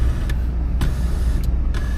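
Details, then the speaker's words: 1979 Cadillac Coupe DeVille V8 idling: low even rumble with a few cabin switch clicks over it; no exhaust leaks, no ticking; motor sounds good and quiet. "Motor sounds good, nice and quiet, no exhaust leaks, no ticking."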